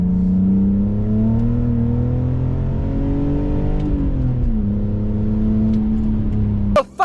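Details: BMW E46, sat 4 years, driven under throttle after a clutch replacement with no proper exhaust fitted: a loud raw note rising and falling, harsh and unmuffled under load, consistent with an exhaust blowing at snapped manifold studs.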